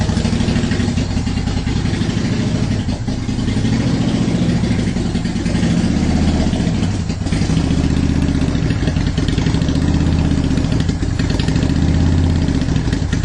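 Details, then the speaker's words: 2010 Honda Shadow Phantom after fuel tank clean-out and reassembly for fuel issues: deep, even V-twin idle with a steady low beat and no misses or hunting; it revs better. Normal idle. "there we go now we got kind of a steady idle going so i think that sounds a lot better it revved a lot better"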